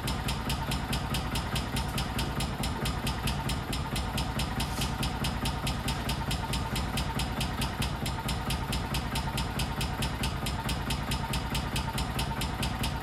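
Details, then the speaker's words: 1999 or 2000 Kawasaki Mule 550 barn find, unrun 2-3 years, on half choke: steady sharp slapping knock about two a second over rough idle, sounds like upper-end knock; went away when throttle applied. "It's idling though. That's a start. To be honest, that kind of sounds like a knock from the upper end."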